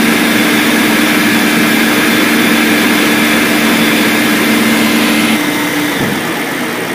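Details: BMW M62B44TU V8, stock exhaust, right after replacing the rattling timing chain tensioner with an aftermarket INA part; steady, even idle with a light rev blip, no rattle or tapping; normal idle.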